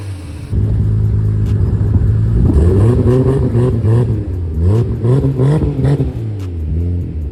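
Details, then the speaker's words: Big-turbo Supra, first start with a fabricated 4-inch exhaust and a small oil leak at the oil cooler sandwich plate: deep, even exhaust rumble rising cleanly through throttle blips, turbo whistling; strong, healthy running, no misses. "so as you can hear the exhaust sounds so good that exhaust that I fabbed up there the true 4 in all the way back you can hear a little bit of the whistle of the turbo at the back of the exhaust the front as you can hear the turbo singing it just sounds so good"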